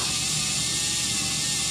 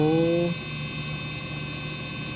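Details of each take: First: Brushless motor on a SkyRC analyzer (2-pole setting), revved up to about half throttle: a harsh, hissy, high whir with a wavering pitch and jumping RPM readings. The motor's bearing is failing. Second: Brushless RC motor on SkyRC BMA01 analyzer at near full throttle; clean steady high whine, no rattle, peaking about 82 dB versus about 90 for new motors, healthy quiet motor.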